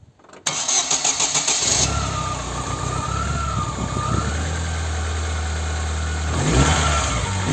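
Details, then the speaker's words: Chevy (Corsa) 1.6 after replacing a broken timing belt, injectors and coil reconnected: the starter cranks briefly, then the engine catches cleanly and settles into an even, steady idle with no knocks or misses. "bueno voy a conectar los inyectores y la bobina para ponerlo a funcionar demostrarles que el motor va a arrancar"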